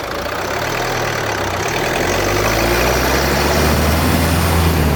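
Coarse rough grinding under a steady driving drone, rising as road speed climbs; grinding noise coming from the front differential area.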